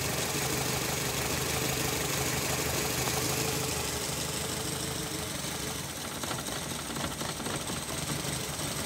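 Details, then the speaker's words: Nissan Latio (similar to Grand Livina) petrol engine with a rough, lumpy idle and stumbling beat from one cylinder misfiring; the engine mounting is also cracked. "masalahnya mobil ini pincang ya teman-teman mesinnya sudah mesinnya pincang engine mountingnya juga pecah"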